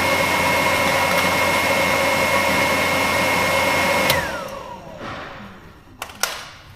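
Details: Gio Golf electric vehicle heater blower fan with a steady, even whir that winds down smoothly when switched off; continuity test shows the relays working fine; normal operation.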